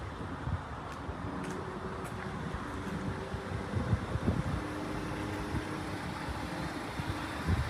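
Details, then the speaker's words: BMW 650 at auction, 72,000 miles, near the age for timing chain gasket checks: outdoors, smooth even low idle with no knocking, misfire or rattle; sounds healthy. "Yeah, sounds good."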